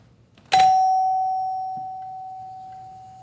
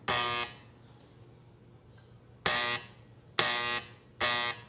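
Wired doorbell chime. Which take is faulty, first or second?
second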